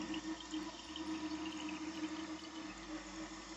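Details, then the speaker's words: Toilet fill valve not shutting off: float fails to rise, so water keeps running through the tube into the overflow with a steady, unending trickling hiss; whole fill valve to be replaced. "And the floater is not doing its job. This thing is supposed to go up and shut the water off."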